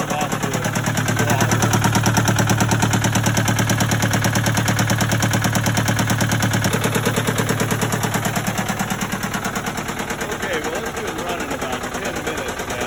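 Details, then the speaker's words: Case 188 four-cylinder diesel tractor idling before teardown: an uneven, lumpy beat of about three pulses a second with a knock riding on it, missing badly and smoking. Number one cylinder appears not to fire; the temperature gauge never left its 130-degree peg. "there's something going on with the motor it's missing real bad it's smoking a number one cylinder appears to be misfiring not firing at all this is a 188 four-cylinder case diesel"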